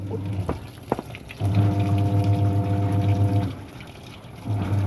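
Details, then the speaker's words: Samsung washer in test mode after the rusted clutch spring was cleaned and refitted; before repair the agitator would not turn and only clicked. Steady motor hum in roughly two-second bursts with water noises; wash agitation now works normally. "เทสระบบซักการหมุนน้ำเข้าน้ำออกนะครับผมนี่ถือว่าดีนะครับผม"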